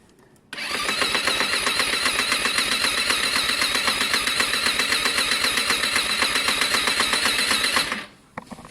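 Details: Lexmoto Diablo 125cc moped on a fully charged battery: fast, even starter cranking about four turns a second for seven seconds, never catching, sounding unhealthy but close to firing.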